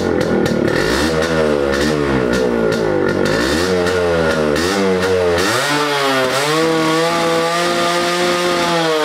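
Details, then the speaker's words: Rebuilt Yamaha RXZ two-stroke motorcycle with a well-tuned carburetor and a quiet exhaust: a crisp note that rises and falls cleanly with throttle blips, then settles into a steady, even idle; normal running. "the carburetor is beautifully tuned I cannot complain about that sounding awesome as well it has to silent as of now"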